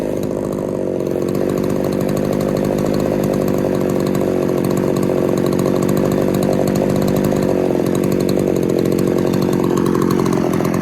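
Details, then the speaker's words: Poulan 3800 chainsaw after fixing loose carburetor screws, spitting back through carb when accelerating: steady, slightly burbling uneven idle, loading up; owner suspects an air leak elsewhere. "I don't I know if you can hear that but it sounds like she's just loading up just sitting there idling"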